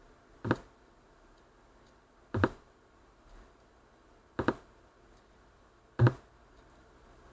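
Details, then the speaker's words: Bose Wave Music System IV CD drive playing one clean disc: lone sharp clicks every few seconds as it hunts for tracks and fails to read; fixed by dismantling and cleaning the optical assembly. "if I skip it on a little bit so to the next track it just about finds the track this hunt I can hear it hunting quite a bit for the track but it's not finding it"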